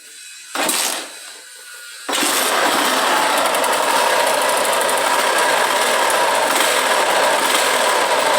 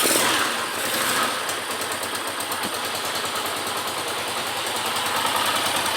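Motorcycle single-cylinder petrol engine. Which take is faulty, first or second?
first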